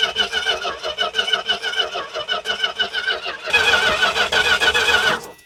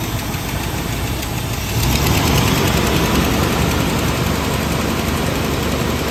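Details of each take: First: Dodge truck, possibly weak battery, fuel line off the pump to test whether the pump pushes fuel: starter cranks steadily at about three beats a second without catching; plain cranking, no start. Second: Dodge D150 truck fired up after the water pump was replaced and everything hooked back up; the engine catches and settles into a steady, even idle with a low rumble, no knocks or squeals, and sounds healthy.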